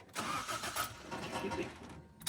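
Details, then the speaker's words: Toyota 4AGE in a 1975 Corolla KE35 after rebuild, open manifold with no exhaust, idle screw adjusted: engine catches and revs briefly then stumbles and fades within two seconds; it won't hold idle, cause unknown. "I'm not sure why it's not idling. I don't know why. It's very, very loud."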